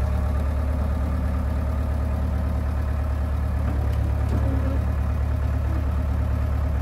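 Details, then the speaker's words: John Deere 490E excavator diesel with Hitachi hydraulic pump in limp mode, computer bypassed: steady low drone at about three firing pulses per second, no bogging or labouring; slower in limp mode but running normally. "i mean with the with it in lint mode it's working fine it's definitely a lot slower but it doesn't bog out"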